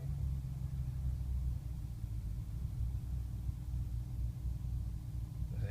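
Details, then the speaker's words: 2005 BMW 645Ci E63 V8 with a recurring cold-weather rough idle and surging, started after sitting overnight on a warm afternoon. AC is off and the check engine light is on; smoke test found no leaks. Deep, uneven, slightly lumpy idle, milder than usual. "is even shaking from it running a little rough it's not quite as bad as when it's colder outside but watch the tach it may stutter just a little bit"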